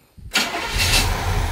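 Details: 1976 Chevy Chevelle Malibu V8 with newly installed Edelbrock intake manifold and carburetor, cold start: short crank, catches right away, settles into steady even idle; normal cold start.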